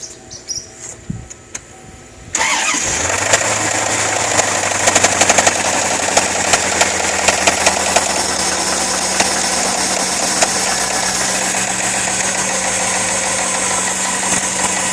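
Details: 1995 Corvette C4 base V8 with 119k miles, at cold start. Sharp, irregular knocks seem to come from near the top of the engine and become intermittent at the ~600 rpm idle. Oil pressure seems fine. Lifter or rocker suspected; rod not ruled out.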